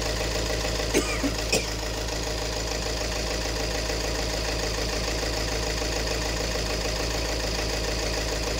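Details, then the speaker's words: 2018 Peugeot 3008 diesel, noisy and misfiring: steady idle with hard knock near two per second; diagnosed as fuel-system problem, injector number one reading 1.17 versus about 0.78 for the other three. "ah yan ah yung injector number one ang merong problemas kasi yung tatlo almost magkakaparehas sila"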